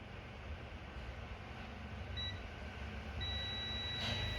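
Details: HP laptop motherboard DA0P5HMB8J0 with an on/off fault. A meter in continuity mode gives a short chirp, then a steady beep on a capacitor rail near a Realtek IC. The rail is shorted to ground, and the faulty Realtek IC is suspected.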